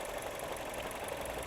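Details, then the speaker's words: Manual learner car bought new, about eight years old with over 180,000 miles of learner driving, idling in neutral with light, even ticking about six times a second; worn clutch friction disc damper from harsh gear changes, not hydraulic lifters. "what it is on this car is the clutch after about 40 000 miles of learners doing harsh gear changes the friction disc of the clutch the damper mechanism in the middle of that disc starts to have so"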